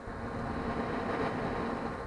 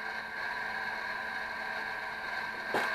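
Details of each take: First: HP Infinium oscilloscope after repair, fully working: soft, steady airy whoosh with faint even hum, no rattle or whine; cooling fan much quieter than before, running normally. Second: 500 MHz four-channel HP Infiniium oscilloscope under repair, booted: quiet steady whir with a thin high tone and faint rapid ticking about four per second; noisy cooling fan, uncertain whether from CPU fan or hard drive.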